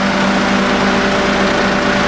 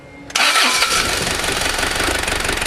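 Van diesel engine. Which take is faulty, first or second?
second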